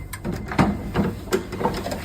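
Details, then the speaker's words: SolaX Triple Power 5.8 kWh battery switched on after setting the dip switch to 4 and the main breaker on: a handful of sharp, irregular relay clicks, with 120 V then read on the DC cables. Normal power-up clicking. "we need to get a DC voltage tester and please make sure that the battery is fully on you will hear some clicking now that the battery is ready"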